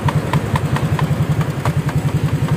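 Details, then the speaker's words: Honda Vario scooter with a new aftermarket exhaust fitted, idling: steady buzzing rattle pulsing about eight times a second over the engine beat; the upper and lower bolts were loose, likely at the stand mount. "Pro bautnya atas bawah kendor cuy Buset dua-duanya n tinggal itu aja tuh dudukan standa apa tuh tuh bunyi breo trektk nih bunyiya getar dari sini"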